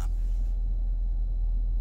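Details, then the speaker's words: 2017 Dodge Durango RT with A/C on after a leaking condenser was replaced and the system evacuated and recharged: smooth steady low rumble, no hiss or breathing from the dash; normal, quiet A/C. "which is silent so yeah if yours is making a hissing sound when you turn your AC on take it to a shop you trust"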